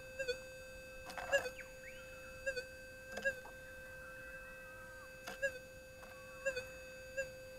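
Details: Whites SPP metal detector, gain on factory preset, ground balanced: a steady mid-pitched hum breaks into brief irregular blips a few times in eight seconds, an unexplained threshold hiccup that cannot be got rid of.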